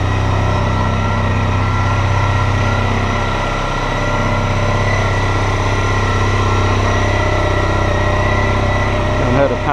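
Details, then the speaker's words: Honda ST1300 Pan European just started after 3.5 months winter storage: smooth, steady idle with even hum and odd whirring "Jetson car" exhaust note, no knocks or misses; normal idle. "Pan before, they got a really strange exhaust note. Sound like the Jetson car. But he seems okay, so I'm going to let him run for a few minutes and hopefully go out for a ride."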